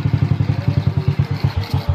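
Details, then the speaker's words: Motorcycle being rewired for electric start, relay to button, key switch not yet adjusted: slow, laboured cranking at about eight low thumps a second, never catches; starter short of current because the ignition switch contacts are not yet set. "Annisa Estelle rendah karena untuk kontaknya belum saya setel"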